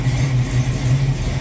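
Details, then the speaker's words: Carbureted Mustang, cold start with choke wide open, after new 1-inch spacer and gaskets fixed a vacuum leak: steady, even, smooth deep idle with no stumble or hunting, far better than before. "Oh yeah, it hasn't run this smooth, this cold, with the choke wide open in forever."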